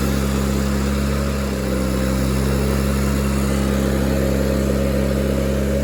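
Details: Miller Bobcat 225G welder/generator, unused for years, running after a new starter solenoid, ignition pickup and alternator work, new fuel pump, fuel lines and oil change; under welding load the engine holds a steady, even note with no surging, knocking or stumbling; healthy, and it welds.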